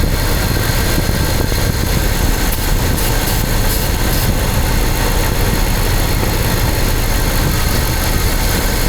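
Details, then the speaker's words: Engine: spraying near cylinder five changes the tempo of an uneven, loping, missing idle, revealing an intake air leak; a new intake manifold gasket is needed. "Do you guys hear the change in tempo of the engine? Intake manifold gasket is what it needs."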